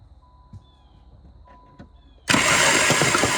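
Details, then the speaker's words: 1988 Caravan van with distributor ignition: starter spins the engine with rapid churning that never catches while a plug is held to ground; cranks but won't start, no spark seen, so owner suspects no spark. "Well, I didn't see anything, so I would guess that means we probably don't have any spark, which is unsurprising."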